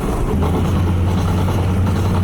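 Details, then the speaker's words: 2004 Chevy Silverado with a worn front wheel bearing on the passenger side. Steady low growl with rhythmic clicking from under the truck while rolling, sounding horrible. Front wheel bearing noise. "If your car is making horrible sounds like this, God, it sounds so bad."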